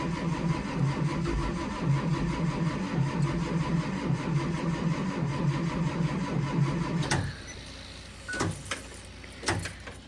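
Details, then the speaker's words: Diesel school bus, cold start at 23°F: starter churns engine steadily for about seven seconds without firing; slight white smoke as injection pump builds pressure; cranks but will not start yet. "I think we're definitely getting somewhere. I saw it smoking in the mirror out there just a little bit, and that is an indicator that this bus is getting close to starting."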